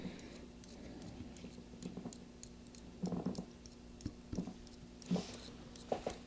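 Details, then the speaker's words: Switch-mode power supply under repair, putting out 60 V DC: irregular faint ticks roughly once a second over a low steady hum. Power supply ticking, cause not yet found. "60 volts DC making some very interesting noises here so if you give me a second I'm going to listen quite closely"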